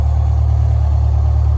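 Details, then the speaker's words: GM Scenicruiser bus, Detroit Diesel 8V71 two-stroke, cold start the next morning after sitting overnight: fired right up into a deep, even idle with a steady beat and no misses or knocks; healthy. "she just fired up the suspension stayed up all night long this left side came down a tiny tiny"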